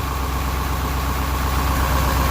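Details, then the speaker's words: Detroit 8.2L diesel truck, warm, at lumpy uneven idle. It misfires on cylinder three, possibly one or two more, and is smoking and losing power. It is expected to worsen as it gets hotter; an injector is suspected. "now we're looking at least one we can Jack their own number three there possibly is one or two more now obviously there's a high likelihood the hotter this gets the worse again"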